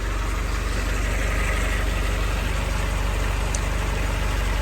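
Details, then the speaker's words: 1942 Ford GPW at warm idle after a new muffler and exhaust kit; an even, steady low idle with no exhaust leaks (previously atrocious) and no miss, sounding healthy. "I don't hear any uh any exhaust leaks so that's a plus before it was pretty uh pretty atrocious she sounds good and healthy don't hear any miss or anything like that"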